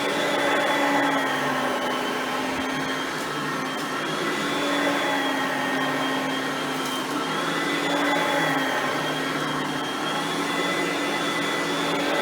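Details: Hoover Platinum Collection bagged upright vacuum, compared with an Oreck XL Platinum; both are direct-air vacuums. Steady, even motor whine at a constant pitch with no rattles or surging; quiet, healthy running.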